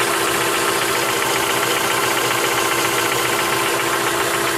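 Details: 2003 Mitsubishi Lancer, stock, 162k miles, fresh oil and full, P0456 evap code: even idle with light quick tick about three to four a second; lifter tick suspected, not confirmed.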